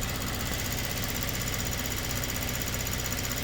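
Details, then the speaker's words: Kia Stinger with low fuel pressure, restarted after reconnecting the control valve: fast, even ticking over a smooth idle as the high-pressure fuel pump works again after being in full shut-off mode; normal. "and obviously we can hear that pump doing something now so that was in full shut off mode before"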